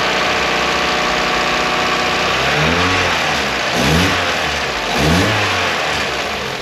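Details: 1994 Eunos Roadster (Miata) after fresh rocker gasket, new spark plugs and ignition leads: even steady idle around 600 rpm with quick throttle blips, no misfire; before, idle floated 300 to 600 rpm and stalled.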